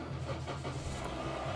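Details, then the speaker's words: 2004 Toyota Corolla Verso 1.8, first start after an oil and filter change with 3.7 litres of new oil, not revved: catches quickly and settles into a smooth, low, even idle, no knocks or rattles. Normal start. "right so we've put the oil in we're gonna start out for the first time after the oil's gone in what we mustn't do is rev it as a misconception about that so we just start it up"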